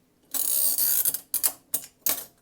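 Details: Duncan Miller model 50 parking meter timing mechanism, penny inserted for 12 minutes: crisp run of ratcheting clicks as handle turns, then a few sharp separate clicks as it catches; engages normally, gives about 14 minutes.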